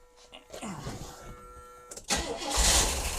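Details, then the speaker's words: 1977 Pontiac Grand Prix, abandoned non-runner being revived: slow uneven cranking, then a short loud burst firing on fuel poured in, but it dies because the float bowls are empty; owner says he should have filled them first. "I should have just filled the float bowl. I didn't even think about that."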